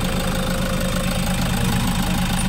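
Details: Toyota Hiace 3.0 diesel after the dirty, rusty fuel tank is cleaned and fresh diesel added, following a strong-vibration complaint. A steady, even diesel clatter at idle with no shake or misfire; normal idle, vibration gone.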